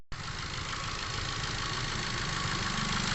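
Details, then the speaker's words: Ford EcoSport automatic with stalling, codes P0130 (O2 sensor B1S1) and P2192 fuel control; lumpy, stumbling idle with injector number two showing no activity, one cylinder dead from a failed fuel injector. "i-try kong bunutin ang injector number two natin ito po ito po kanina ang nakikita natin sa x machine natin na hindi gumagalaw"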